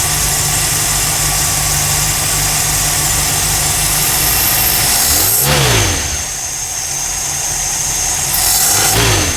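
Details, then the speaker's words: 1969 Mercury Monterey V8 with Holley 4412 carburetor, cold start after new belts and rewired choke: steady, even idle at slightly raised cold-start speed, no misses or knocks; normal cold idle while warming up. "so far so good it's cold started"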